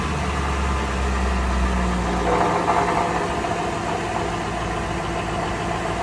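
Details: 2005 Mercury Grand Marquis GS V8, about 54,868 miles, at idle: steady idle with a loose, uneven buzzing rattle from the exhaust underneath; owner suspects the catalytic converter and heat shield, resonator or muffler also possible, unconfirmed.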